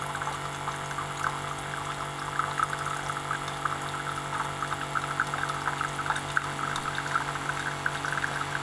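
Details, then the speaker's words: Keurig coffee maker water pump after its drive circuit's pulse width was modified: steady, even hum running fast and smooth, water pouring and filling the cup; normal pump run. "wait what a difference in motor speed right listen to that thing it's just moving along"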